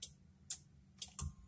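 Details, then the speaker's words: 1992 Acura Vigor automatic, good battery, connections, fuses and fuel pump, key on in park or neutral: about four sharp relay clicks over a faint hum, no crank, no start; owner suspects starter, ignition or safety switch. "you can put the key in you hear everything it's got power and all that fuel pump and then you can even hear down here you can hear like the relays or whatnot"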